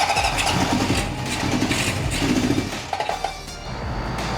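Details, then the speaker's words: 1974 Honda CB750 with rebuilt carbs, idle raised, after tank was off: cranks, fires unevenly with ragged pops then dies; suspected fuel not yet back in the system, choke partly open; cause unconfirmed. "They wanted to run for a second there. I think it's just getting like fuel back in the system."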